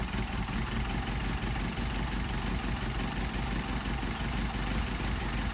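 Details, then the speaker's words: Mercedes 190SL with Solex carburetors on test, idling around 600-plus rpm with a steady low burble: the idle mixture screw is turned in and the rpm drops, then backed out so the engine picks up, seeking best running rpm. "I'll screw it in you'll see the RPM drop now we're losing our rpm"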